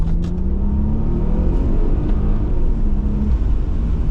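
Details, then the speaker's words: Toyota Aristo V300 with stock 2JZ-GTE twin-turbo and four-speed automatic, after new spark plugs cured a misfire: strong deep pull under load with a clean rising note, solid when the second turbo kicks in, no stumbles or misses; normal acceleration. "It pulls perfectly. Uh the Aristo is back."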